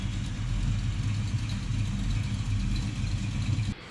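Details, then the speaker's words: 1982 Chevrolet K10 square body with newly built and installed big block 454, driving at light throttle; heavy steady rumble, loud open exhaust note, no knocks or misses; normal running. "that sounds like my Jeep when I didn't have any exhaust on it at all of course she's got it running of course it's running great look at that thing"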